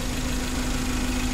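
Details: 2012 Suzuki Carry 1.5 injection, which had an overheating fault with a corroded engine block: steady, even idle with no knocks or misses. Temperature gauge normal and no longer rising; engine healthy.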